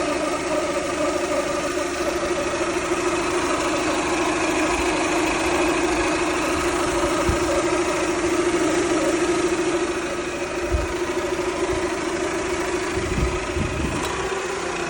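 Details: Toyota Camry 2.2 L idling: faint steady mid-pitched whine over even running; owner suspects alternator or water pump, mechanics say normal or can't hear it.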